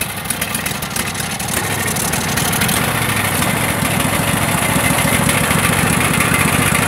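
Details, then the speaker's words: Craftsman DLT3000 lawn tractor single-cylinder engine after ethanol fuel damage, with backfire prevention solenoid, main jet, fuel lines and tank grommet replaced: settles into a steady, even chug with no misses, smoking a bit from water and oil in the exhaust. "it the most craftsman runs doesn't run too bad is smoking there a bit some water and oil gotten exhaust and headed up on its side"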